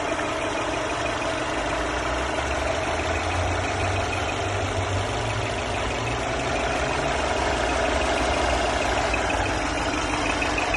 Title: Mercedes E350 Coupé pfeifende Motorgeräusche